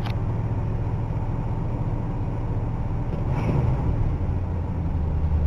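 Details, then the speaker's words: Ford LTD engine after the previously bad, loud exhaust was dealt with, pumped then started: low steady rumble with no rasp or popping from the pipes; exhaust now much quieter. "remember how it was uh real loud earlier because the exhaust was uh well not the best listen to this got to pump it first much quieter"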